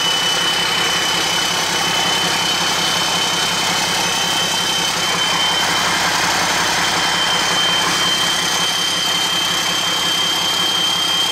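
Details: Hyster with Cummins 8.3 (505 cid) diesel, HX40 turbo with machined small 6cm exhaust housing, idling with no load: steady high whistle over rumbling idle; about 35 psi drive pressure for under 20 psi boost, housing far too restrictive, later replaced by HX55 11cm.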